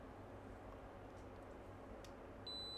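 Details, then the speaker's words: Kaiweets KM601 multimeter in auto mode probing board pins for shorts: low room hiss, then a steady long high beep holds as a pin reads ground; continuity beep on detected short. "some of these pins are ground yeah see like this one's ground and it beeps long beep"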